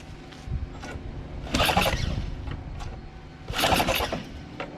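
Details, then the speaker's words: Small engine converted to a single-shaft engine with reversed pulleys: two short cranking bursts with no firing, primer not working because the fuel shutoff valve was closed. "Oh, I forgot the prime. Doesn't seem to work. Doesn't seem to prime. Oh. Well, there's a fuel shutoff. Duh."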